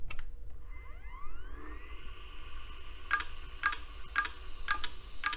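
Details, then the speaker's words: Western Digital Caviar 13.6 GB hard drive dated December 1999 powered alone: whines up then clicks about twice a second over rough low grinding hum; heads stuck, bearings suspected worn. "all right well clearly the heads are stuck it's also making a pretty terrible grinding sound I don't know if you can hear that"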